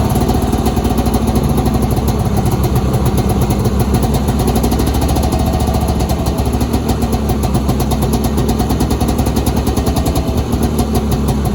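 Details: 1983 Polaris Indy 440 carbureted two-stroke snowmobile, cold start after engine rebuild and new pull cord: steady, even burble holding a smooth idle with no knocks or misses; runs healthy.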